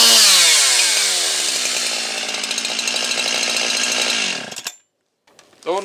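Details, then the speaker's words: Husqvarna 362XP Special two-stroke chainsaw after swapping limited ignition coil for unlimited one: fires and screams at high steady revs with crisp even note, then shuts off; gained roughly 2,500–3,000 rpm, runs clean. "Probably gained uh at least 2500 RPM or 3,000 RPM here. I'll fire it up. Runs good."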